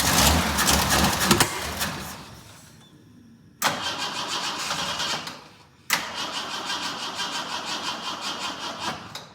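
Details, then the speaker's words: Jeep J10 with rebuilt carburetor and reinstalled tank, cold, choke not working, fuel now in filter: three sluggish cranking attempts near four beats a second that fade out; battery running down. "batter's on the weak side now. It's getting a little bit drained down."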